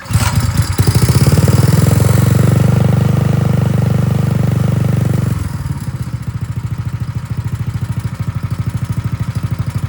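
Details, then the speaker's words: Tillotson 212EE single-cylinder drift trike engine, governor removed, billet rod, aftermarket intake and exhaust, pull-started on first run: chugs on choke, then idles with a rapid, slightly uneven tick of unknown source. "Well, that was choke and that was idle for a minute, but something is ticking and I don't know what that was."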